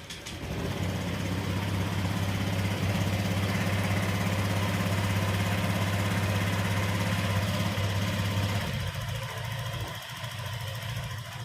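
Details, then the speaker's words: Honda Vario 125 scooter on center stand after TPS fitted, repairing a rattle at 80 km/h: even, steady low putter with no stumbles or surging; smooth normal idle. "OK, Bro, for the gas and engine, the handphone rotation and the sound of the engine are in sync, there's no interruptions or fussing like before, it's smooth"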